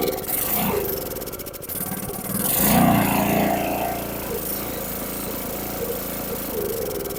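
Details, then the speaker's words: Briggs & Stratton 6.5HP engine on a transfer pump, started with temporary fuel line after carburetor cleaning: catches, then surges and sags unevenly, only runs on choke; main jet on bottom of carburetor clogged. "See, there's something wrong with that bottom, that jet on the bottom. It only runs on choke."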